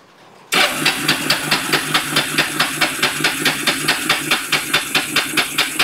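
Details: Kawasaki Bayou 300 ATV parked two years, after carburetor cleaning, choked: steady starter churn about two compressions a second, never catching; flooded engine, spark plug covered in fuel.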